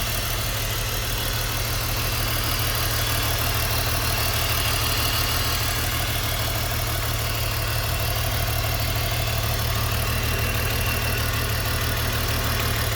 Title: BMW e46 - Running Rough and Throwing Code P1347 (Misfire Cylinder 3)